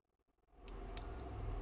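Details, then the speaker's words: Capacitor tester during a Roberts R600 radio restoration gives a single short beep with no second beep, marking this capacitor as bad; a good one double-beeps. "oh christ hello that one's changed yeah just a ding not a double ding"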